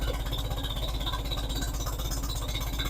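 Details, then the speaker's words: Farmall Super A tractor just revived, needs governor work: even steady putter about four beats a second with no knocks or misses; idles smoothly and sounds healthy. "for now I'm G to let y'all hear it run because it does sound right nice"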